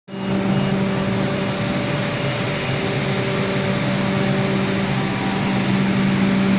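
A loud, steady drone with fixed low and mid-pitched tones holds evenly throughout; something is clearly noisy, but the source is unclear.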